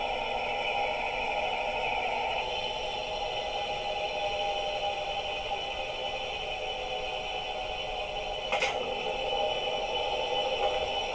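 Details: Electrolux LTR10 top-load washing machine during spin cycle: steady loud whirring hum with raspy hiss; sounds like a bearing, but upper and lower bearings, lower transmission shaft and transmission cover were already replaced; cause not yet identified.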